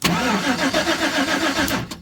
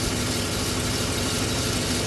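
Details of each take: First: 2011 GMC Sierra, no-crank after owner pulled a fuse over backup lights staying on: starter cranks steadily about two seconds without firing, RPM signal present but no fuel pump heard; cause unconfirmed. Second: 2011 GMC Sierra just started after no-crank, run/crank relay green with corrosion, fuse panel suspected of causing backup lights staying on: short even steady-drone idle, no misses or knocks; normal idle.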